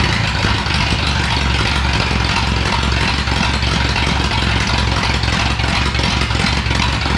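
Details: 1937 Ford flathead that sat a year, 6-volt system running only on the battery (maybe 5 volts): low, uneven, choppy idle with frequent skipped firing pulses, a misfire; cause unconfirmed, possibly low voltage.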